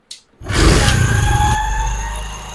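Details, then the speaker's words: Motorcycle restarted after a chain-noise repair: engine catches and settles into a smooth, even idle with no chain slap or rattle; the noise is completely gone. "तो देख सकते हैं आवाज जो है बिल्कुल खत्म हो चुकी"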